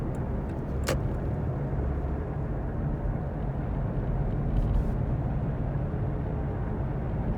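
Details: Worn hub bearing heard from a tyre while cruising, recorded from the passenger side: a steady low droning rumble with nothing sharp or ticking, heard as gogogo, rururu, won-won, gorogoro.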